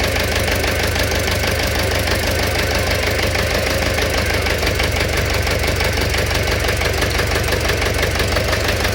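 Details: Engine knock at idle: a loose, uneven knock of roughly once a second rides over the engine; cause unclear.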